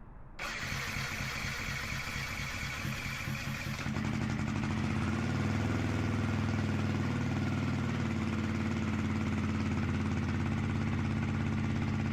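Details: Yamaha WR125X after full rebuild, with fresh 10W-40 oil: cranks briefly, catches at once, settles into a steady even single-cylinder idle with no knocks or misses; no oil pressure light.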